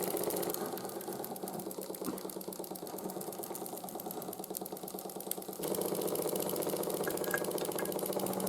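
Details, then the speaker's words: 1914 Ernst Plank 114/1 vertical steam engine, hot, after new crank pin, wrist pin and crank shims to reduce side play: soft regular clunk about three a second under even chuffing; slight remaining crank knock, much quieter. "as well as put some shims into the crank assembly just to reduce side play a bit and it does still clunk a little bit when it's hot but it's a lot more quiet and it runs a lot happier than it was before"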